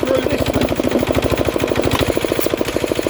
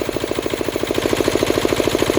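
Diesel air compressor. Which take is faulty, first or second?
first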